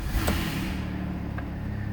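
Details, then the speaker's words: 2009 Dodge Caravan SE mobility van, 3.3 V6, 233,834 miles: short crank, catches right away, settles into steady even low idle with no misses or knocks; fires up first time, no warning lights. "Fires up first time, every time. No check engine lights, no warning lights, nothing like that."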